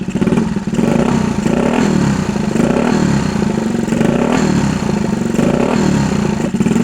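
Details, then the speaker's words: 1964 Honda Super Cub CA102 after full top-end rebuild, throttle flipped a couple times: single buzzes up and drops back in even blips under a second apart, no misses or clatter; good compression, no smoke, running really good. "I guess that's a win um and tell you what it is doing it's running really good"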